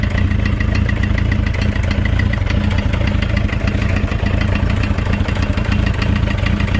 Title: Motorcycle Engine makes knocking noise